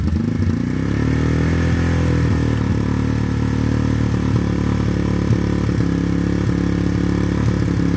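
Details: Yamaha Warrior ATV single-cylinder, new plug and fresh oil, old carb still fitted, sat a week with fuel on hoping to clean it; owner doubts improvement, will swap carb. Lumpy idle with irregular clattery pops, uneven firing: rough running, cause unconfirmed.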